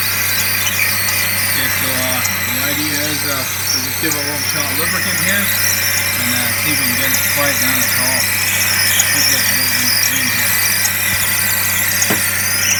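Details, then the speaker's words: Suzuki SX4 manual at idle, heard from inside the car: loud wavering squeal rising and falling unevenly from the serpentine belt drive; owner suspects the water pump bearing or bushing. Accessory drive squeal. "I'll start it up a so you can hear the noise and then I'll take you aside and Wow what racket you hear that"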